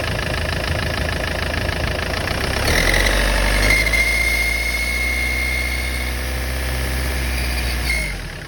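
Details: Engine idling with a thin, steady high whistle that rises and holds. It is an unexplained turbocharger whistle, source not confirmed.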